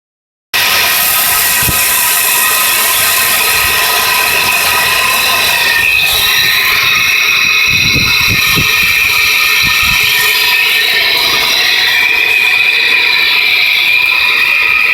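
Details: 1993 Nissan Pathfinder SE petrol engine running with a steady high-pitched squealing whine and scattered light knocks, weeks after timing and other belts were replaced; owner wonders about the oil pump, cause unknown.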